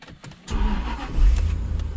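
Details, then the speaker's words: Car started on a TackLife T8 Pro jump pack alone at 98% charge, nothing else connected: a few clicks, a brief quick crank, then the engine catches at once and runs steadily. Normal crank and start. "effortless holy smokes effortlessly cranked"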